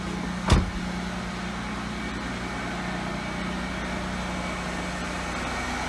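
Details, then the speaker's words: Mercedes S600 V12, started after sitting all winter on a weak battery (11.7 V), running cold, no warning lights yet: one bump, then a low, smooth, even hum holding steady; normal cold idle. "you can still hear it running cold right now no warning lights so far which is good"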